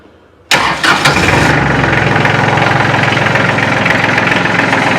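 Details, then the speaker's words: Kubota L3400 diesel tractor, engine still warm so no glow plugs used: starts instantly on the first crank and settles into a steady, even diesel clatter at idle; normal start and idle. "So, we won't shouldn't need the glow plugs. It should kick right off."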